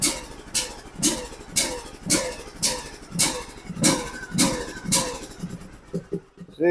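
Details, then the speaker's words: John Deere LA125 riding mower, Briggs & Stratton 21 hp, ran very rich with black smoke then wouldn't start, now on a new battery: harsh rasping bursts over a lumpy, choked-sounding idle at low throttle; grinding noise, source unknown. "the throttle away way down to idle and it sounds like the choke is on but I don't like that grinding sound either"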